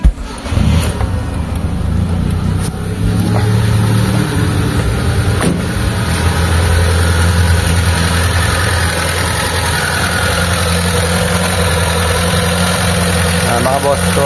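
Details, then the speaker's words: Mitsubishi Lancer "pizza pie" 4G13 or 4G15 carbureted engine, before repair, several carbs already replaced: starts and holds a fast, steady idle that never settles; too-high idle. "kung naridinig nyo, sobrang taas nung idle nya. Ilang palit na ng carb mga bossing, pero hindi pa rin tumitino yung andar."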